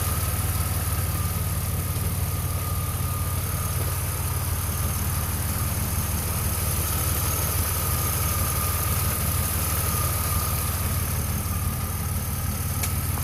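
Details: 2002 Pontiac Firebird V6 at idle: deep even rumble with a faint steady whine and light tapping underneath; oil pressure gauge jumps from 55 psi at idle and drops to 35 over time; cause suspected, not confirmed.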